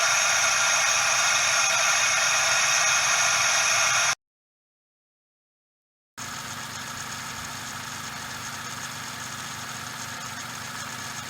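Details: Suzuki Every DA64V engine noise heard up close: steady dry hiss and rushing sound with almost no low end; cause is the belt tensioner bearing, possibly short of grease.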